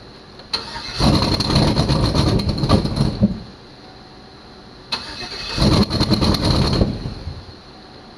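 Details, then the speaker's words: 2006 GMC Envoy Denali bought at auction, some wires unhooked: two starter bursts of about two seconds each, steady cranking that never catches, then silence. Crank, no start; it tries to fire, misfires and shuts off. "it's funny how it's cranking up it's misfiring and then it shuts off yeah I'll try it again"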